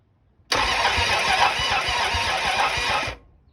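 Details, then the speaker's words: 1974 Dodge Challenger 318 with new mini starter, battery cable and ignition relay, plugs in: slow, labored cranking at three to four beats a second, no oil pressure, burning smell, never catches; battery suspected weak; weak cranking, no start. "i have no oil pressure but uh it is cranking [Music] it sounds awfully weak but it is cranking"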